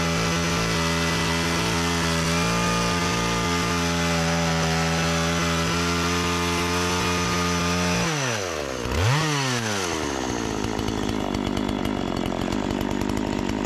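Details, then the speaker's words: Partner 405 two-stroke chainsaw after a simple repair (it used to stall when given throttle; owner suspected fuel starvation), cutting very hard almond wood. Steady high drone sags and recovers as the cut loads it. Engine pulls fine, but the chain is very slack. "la sierra está en cuanto a motor va bien en cuanto a cadena está super destensada ahora"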